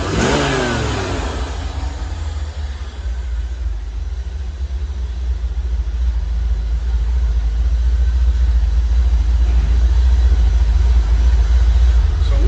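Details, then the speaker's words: 1985 C4 Corvette V8, timing not yet set: revs climb smoothly and hold with no stumble or miss, idle sounding much better; healthy. "Much better."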